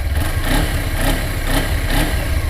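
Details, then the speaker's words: Low, smooth burble with gentle rev swells from a 2013 Suzuki GW250 fuel-injected 250 twin at idle, high beams off, heard with the visor open; very quiet, runs and sounds healthy. "high beams off but as you can hear this is a very quiet bike I have my visor open right now and this is just a very quiet machine no doubt about it she's quiet runs good sounds good"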